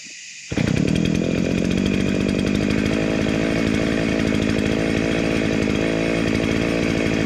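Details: Dolmar 109 chainsaw (second of two), after restoration with a homemade shortened chain and the oil pump sorted: crisp, even two-stroke buzz at steady high revs, firing clean with no misses or rattles; running well and oiling.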